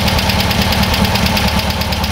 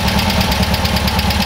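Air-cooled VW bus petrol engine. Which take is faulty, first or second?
second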